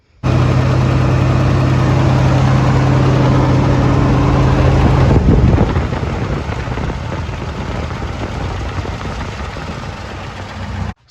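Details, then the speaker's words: Square-body GM truck after replacing the ignition module under the distributor cap: deep, even low rumble at idle with a steady firing beat and no misses or stumbles; normal idle. "now it should fire up and run good"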